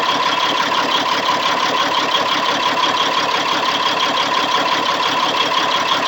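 Diesel idling with an uneven, lumpy beat around three pulses a second and a steady hiss over it; rough idle, cause unclear.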